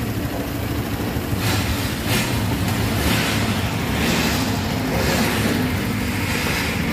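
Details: Newly bought 2023 Honda Vario 160 scooter brought to a dealer workshop; engine runs with a coarse, uneven low rumble instead of a smooth hum, cause not confirmed; rough engine noise.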